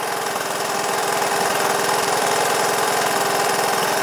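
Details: Honda ATC200 three-wheeler single-cylinder engine, fitted with an aftermarket PZ27 carburetor after trying to clean the original, choke converted from cable to lever, idling with a steady, even thump of about three beats a second, no misses; runs great, normal idle.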